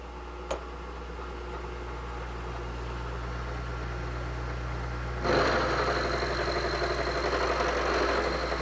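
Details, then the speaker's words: Milling machine with a dividing head cutting the sixth and last flat on a hex nut. Steady motor hum, then an even cutting hiss and steady high whine as the end mill bites. A clean, normal cut. "okay there we go that was our sixth flat on the hex nut"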